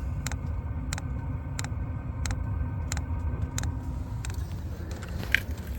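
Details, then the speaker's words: Hcalory diesel heater at startup, fan spinning: sharp even ticks about ninety a minute over low fan rumble, the fuel pump clicking on as it gets ready to ignite; normal. "oh fuel pump started see if you can hear it you might be able to see fuel moving in that"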